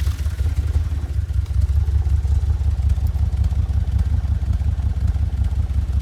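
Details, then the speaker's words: 2008 Audi S5 4.2 V8 FSI, naturally aspirated direct injection, manual: uneven, lumpy idle with a low irregular beat over the exhaust drone; runs rough, later diagnosed without strip-down using in-cylinder pressure and intake/exhaust pulse analysis. "This is an Audi A5. It's a 4.2. It's an FSI engine, which is a normally aspirated direct injection engine. That's it there. And it is just a bit poorly."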